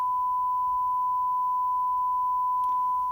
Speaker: So we're going to unplug the microphone, and now we're going to plug in the tone signal. It's just a 1 kilohertz tone, just to get an idea of the relative levels between the 3 channels.